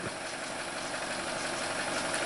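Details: 2017 Chevy Trax 1.4L LUV with P0171 lean code, after cleaning then replacing the mass airflow sensor: quiet, even idle with a soft steady hum, no stumbles or ticking; sounds healthy.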